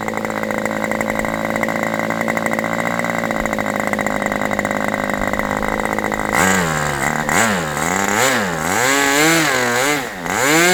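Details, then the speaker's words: Aviastar 46 ABC glow engine after low-speed adjustment: a high steady scream, then pitch swings unevenly with throttle moves, hesitating on pickup. Owner rules out rich running and thinks the mixture is lean; not confirmed. "So, it's not rich because that's not making it, but it seems like it's lean."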